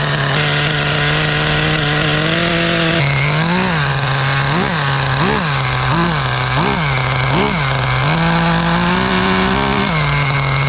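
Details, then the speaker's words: Schumacher Menace 21 nitro 1/10 truck, MGT 21-style engine, fired with glow driver and drill starter: small nitro engine buzzes steadily just after firing, pitch rising and falling with throttle blips, clean and eager; normal running. "1, 2, 3. That's how you easy these things fire up. Beautiful,"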